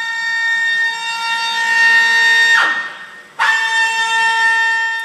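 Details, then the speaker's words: 2011 Ford F-150 with a failing electric power steering rack: a loud, piercing, steady screech with a shrill whistle that cuts out briefly and returns. "hey guys today I got a 2011 F-150 that has a really weird power steering concern on it and uh I just had to record it for you it sounds like a dead cat under the freaking Hood"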